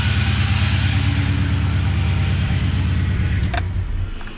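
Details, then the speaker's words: LS1 V8 Nissan Patrol starting after wiring repairs: a steady, smooth V8 idle with a faint whine from a pump filling with fluid. The engine runs normally. "all right that's good enough for me it runs"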